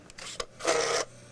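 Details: RCA RP-3740A CD clock radio with track focus lock problems: a couple of small clicks, then a short harsh mechanical grinding buzz from the disc drive as it struggles and fails to read even track 1.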